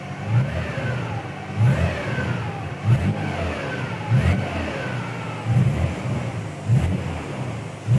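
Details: Nissan 300ZX twin-turbo with a new 98+ J-spec OEM manual transmission (3,000 miles, Redline MT-85 fluid): engine revs rise and fall with a thin gear whine, faint in neutral since install, now loud in low gear and under deceleration in 1st.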